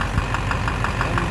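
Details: 2009 Silverado 3500 Duramax LMM diesel dually, 59,900 miles, idling: sharp regular knock about six per second; owner thinks it is in the bottom end near the oil pan, unconfirmed. Oil analysis shows no abnormal wear; intermittent since 57,500 miles.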